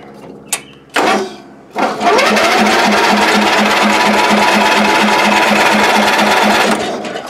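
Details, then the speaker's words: Old Ariens, sat in shed a couple of years, battery jumped, doused with spray: steady starter churn about three and a half beats a second with no firing; cranks no start, previously found to have no spark. "well i kind of abandoned this project a while back when i realized it had no spark and i definitely wasn't going to fix it in that"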